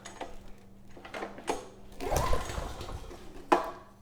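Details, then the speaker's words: Generac WheelHouse 5500 W generator with Briggs & Stratton engine 204412, refueled with a new air filter, choke on then off: a few recoil pulls turn the engine over but it never fires; compression feels good, no spark suspected. "The compression feels good, so I don't think that's the issue. Choke's off now, and still no signs of life. So I think spark could be to blame here."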